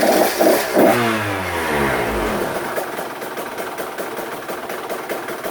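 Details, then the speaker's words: 2024 KTM 125SX two-stroke after top-end rebuild (new piston), started for a heat cycle: small blips then a low, steady burbling idle, barely idling, without hunting; normal idle. "Okay, so she's idling good, nice and low. That's where I like them to idle, just barely."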